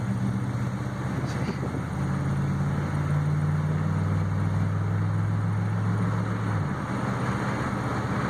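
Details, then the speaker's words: Chevy truck with a brand-new motor, driving and shifting through all gears: steady low engine drone with a clean pitch drop at each shift, no flare, slip or clunk; the transmission shifts smoothly, normal. "You hear how smooth it shifts through all the gears. Just went through all the gears."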